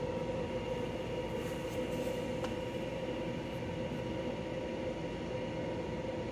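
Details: De'Longhi Pinguino portable air conditioner, model PAC AN370G1W, flat out on full blast and cooling well: steady even air rush, constant hum with a few fixed tones, no knocks or rattles; healthy.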